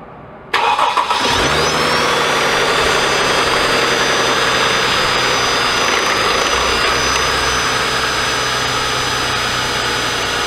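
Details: Mercedes-Benz M272/M273 V6/V8 in an S211 E-Class, cold start: cranks and fires, then a loud diesel-like clattering knock at idle from low oil pressure due to a failed oil pick-up tube O-ring.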